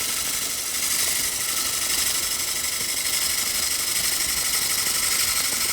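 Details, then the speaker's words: Large faceplate-mounted platter blank on a Robust lathe, continuous even gouge hiss with no rhythmic wobble or thump now that it is rounded; tool feeding slowly in solid wood while truing the edge, running true. "Now we're in completely solid wood. And you can see I'm letting the tool feed itself. I'm not rushing this process at all."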